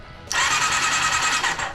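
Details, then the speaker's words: Honda CBR400RR NC29 barn-find bike being restored for an Isle of Man road race, condition unknown: starter cranks quite fast with spark plugs removed, so no compression; about 1.5 seconds of even, healthy starter whir. Normal starter cranking. "sounds good though this's just start off Works sounds happy it's actually cranking quing quank quing quite quite fast there's no plugs in it so there's no compression"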